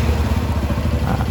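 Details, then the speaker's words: 2007 Yamaha Jupiter MX after replacing broken clutch parts with imitation part and new clutch plates; engine thumps evenly in first gear, rear wheel spinning on stand, no slipping, clatter or grinding; repair successful, clutch engaging normally. "berputar ya teman-teman berarti kita sudah berhasil mengganti kampas ganda yang rontok tadi dan memasang kampas kompling"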